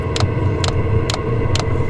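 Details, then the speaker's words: Chinese diesel heater in a snowy Rocky Mountain National Park camp, slow to fire after several tries; sharp fuel-pump clicks about twice a second over a low rumble while it struggles to light; owner suspects altitude affecting air-fuel ratio. "started firing up. I had to try it a few times for some reason. But the fuel pump's clicking. We've got exhaust going."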